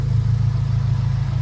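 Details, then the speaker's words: 2001 Acura Integra Type R after sitting 10 years and a refresh, warmed up with the cooling fans on (the fan rubs a tube): steady smooth low hum with an even pulse, no ticking, overheating or smoke; healthy warm idle. "Yeah, it sounds awesome. It's quiet, everything's working, it's not overheating, it's not ticking, it's not smoking."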